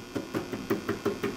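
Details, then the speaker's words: 6AV6 tube in a D-Lab Micronaut II analyzer, checked for heater leakage; sharp taps about five a second die away at once with no ringing or hum; normal quiet tube. "Appears to be pretty good. Nice and quiet."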